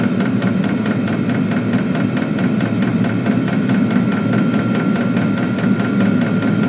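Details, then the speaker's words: Diesel heater in a custom truck camper, about 10 minutes after start, warming the cabin to about 50 degrees and very quiet outside: a steady low burner whoosh with an even pump tick about four times a second; normal running. "Yeah, it's getting nice and warm now. Very quiet on the outside."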